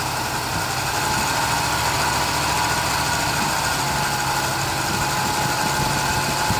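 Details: Barn-find 1972 Chevelle just after a Rochester 2-jet carburetor rebuild, with one vacuum hose left disconnected. An uneven, unsteady idle with a faint hiss and irregular beat: rough running from a vacuum leak.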